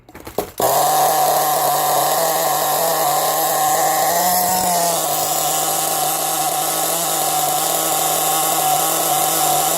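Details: Nitro RC car engine running methanol/nitromethane fuel, started with throttle shut after clearing flooding: high, steady buzz holding pitch after a quick start. Runs properly once unflooded.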